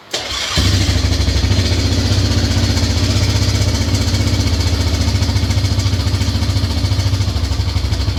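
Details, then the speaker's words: Yamaha Grizzly 600 ATV after carb work, with an earlier bad Bendix; the engine had previously been apart: it cranks, catches and settles into an even thumping cold idle of about 70 beats a minute, with a dull knock from deep inside the engine, cause unknown. "The only thing that's bad is it's got that damn, it's got a noise down in the engine."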